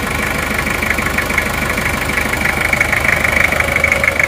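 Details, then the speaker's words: Diesel at a warm idle. An even combustion clatter with a faint occasional metallic "tang": a smooth, healthy engine. "Tapi kalau ini termasuk halus ya mesinnya ini seperti ini."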